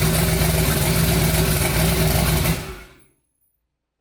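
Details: Twin-turbo 5.3 V8 in a New Edge Mustang on first start of a new build, freshly wired, battery on charger: catches and runs with a steady, even firing beat briefly, then shut off. Normal idle.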